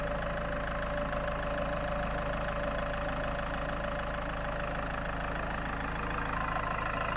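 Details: Land Rover Freelander 2 diesel idling on Wynn's diesel purge during an injector clean, fuel pump fuse 22 removed. Even diesel clatter at a steady idle with no misses or hunting: running cleanly, normal idle.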